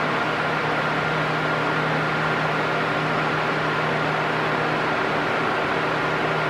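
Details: Arno Silence Force 40 cm fan on maximum speed: loud, steady rush of air with a faint constant hum and no rising-and-falling oscillation; normal running.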